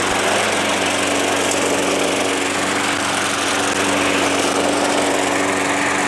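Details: Small engine that sat all winter, primed about five times, after a cold start: holds a steady, even buzz with no misses or surging; it runs well.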